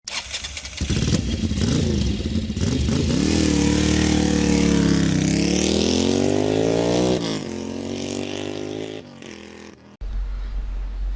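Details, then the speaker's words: Engine rattle on a 250 single-cylinder motorcycle in neutral: loose metal-on-metal clatter at idle that persists as revs rise and fall; the engine was opened and a bent crankshaft was found letting the crank and cam gears knock. "en este caso es un ruido pues metálico que roza metal con metal al parecer pues bueno tenemos un caso en que la moto en neutral está matraqueando"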